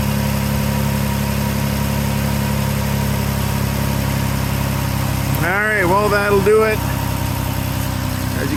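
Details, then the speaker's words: 2012 Dodge Journey 3.6L V6 at idle, just after thermostat replacement for code P0128, not yet warmed up, on a chilly day: fast puffing tick over a steady idle, coming from underneath; owner notes an exhaust leak underneath. "you can probably hear, there's an exhaust leak underneath there, so that'll be the next thing I'm going to have to get onto, but might leave that till the springtime because it's chilly cold out here, that's for sure."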